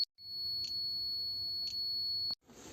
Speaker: So the tools will work finely if you hear the sound like this.